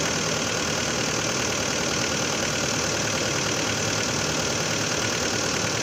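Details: 2011 Hyundai Santa Fe 2.4 (4GKE) engine, hot idle: brisk fairly regular tapping about three a second over a busy clattery engine note; engine knock when hot, cause undetermined.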